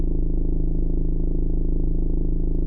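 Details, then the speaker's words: 2015 Ford Mondeo Mk5 estate idling: steady low hum with buzzing edge in the cabin, passenger side rear, from a fuel pipe come loose from its underbody bracket vibrating at the curve up to the tank. "you got the fuel pipes go under the car on the left side for some reason the bracket holds the pipes you just come loose so the pipes come off from the bracket and then it's vibrating on that curve when he goes up to the tank"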